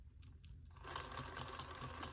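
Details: Injora Chilow RC crawler with rear driveshaft removed; fast buzzing motor whir with quick regular clicking/clanging; owner almost positive it is in the transmission, not confirmed; drivetrain clicking.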